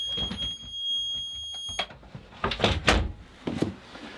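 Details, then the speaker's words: Boat's newly fitted Murphy mechanical gauge panel alarm demonstrated: a steady piercing high tone from the piezo buzzer for nearly two seconds, then clicks. It is loud enough to be heard over the engine. "But that was the alarm. These little piezo's, they're loud. Like you'll hear that definitely over the engine."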